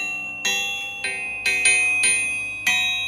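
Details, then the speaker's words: Compstar crankshaft (possibly made by Callies) for a 532ci big block Chevy build, tapped while out of the engine: six light taps each ringing long, clear and high like a bell; sound, crack-free crank. "I've always heard that good crankshafts ring like a bell"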